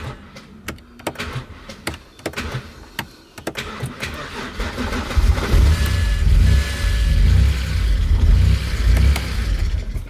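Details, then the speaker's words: BMW 130i on its first start after an oil and filter change with 6.3 litres of oil, no throttle pedal attached, smoking: a few clicks, then the engine catches and runs low and uneven with no rev response. Rough running, noise unexplained. "sounded pretty dead i'm not gonna lie there's a good 6.3 litres of oil in there so i don't know what that noise is"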